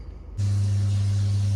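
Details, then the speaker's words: Worcester Junior SI standard-efficiency boiler, no heating or hot water, hot tap running: steady low fan hum holding even with no burner roar; fan runs but burner doesn't light, gas pressure to be checked next. "Right, so I can hear the fan running. Obviously I've got the hot water tap running in a minute, and that's what we're getting. I should have reset. Right, so I've got it to the point where it sparks but doesn't light,"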